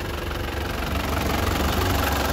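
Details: Isuzu Panther LS Turbo 2019 diesel, one owner, low mileage, engine healthy with no heavy smoke or oil leaks: steady, even idle with light normal clatter and smooth low rumble, no misses or knocks.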